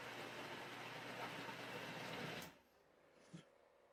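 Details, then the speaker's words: Philips 3000 Series blender while blending: loud gritty whirring with loose chatter from the lid rattling on the jug, which doesn't feel secure. The noise drops when the lid is held down by hand. "Did you guys notice that it was really loud when I did not put my hands on it? And then when I put my hands on it, it's the loudness or the noise reduced. The cover was rattling."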